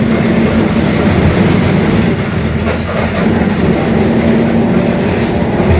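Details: Mercedes-Benz OF-1721 Bluetec 5 extended urban bus, Mascarello GranVia Midi 2014 body, built 2021, rolling: a steady low drone under the road rumble, from a growling rear differential.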